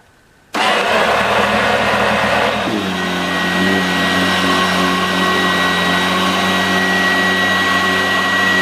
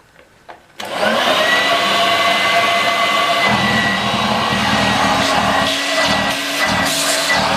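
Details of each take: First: 1986 Vorwerk VK 117-1H upright vacuum cleaner after cleaning and repair, its old belt having worn out with age: switches on and settles into a steady, even motor hum with a constant tone and no rattles or surging; runs normally. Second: 1986 Vorwerk VK 117-1H upright vacuum cleaner, cleaned and reassembled: steady high whine with an uneven rough rattle underneath; strange noises from the motor, whose bearing is somewhat dry.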